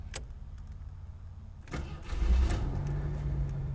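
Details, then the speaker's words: 1986 AMC Eagle, 258 cid 4.2L inline-six with 3-speed automatic, warm start: a quiet crank, then it catches at once and settles into an even, low idle, followed by a slight belt or pulley squeal. Healthy warm start. "let me start for you it's actually warm so it should fire right up"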